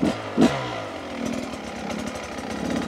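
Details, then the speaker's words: Beta 250 two-stroke after jetting change (38 pilot, Suzuki ECJ needle), low-speed riding: crisp, even pull off the bottom with no sputter; much cleaner and less uneven down low. "you can hear it's a lot lot cleaner down on the bottom not so uneven"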